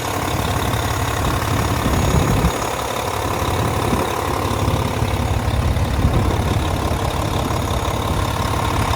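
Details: 2014 Volvo VNL day cab with a D13 diesel and 13-speed manual, 600-something miles, oil filler open. Steady diesel clatter at idle with an even rhythm and no knocks or misses; a normal, strong-running engine.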